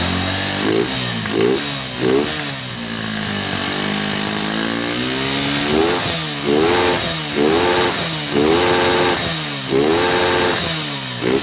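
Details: Honda Megapro Primus, kick-started due to weak battery, fault was dirt-restricted fuel flow causing stalling and jerking: crisp throttle blips rise and fall cleanly with steady idle, runs smoothly.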